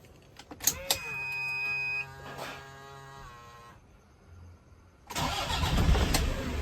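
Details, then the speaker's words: Toyota Hilux 2KD diesel, manual 4x4, after repair of an engine that died with oil warning light on: dash chimes, short crank catching at once into an even diesel idle; starts easily, normal start. "Ini mesinnya sudah mudah hidupnya ya. E Toyota Hum ini. Jadi kemarin ee total enggak bisa hidup."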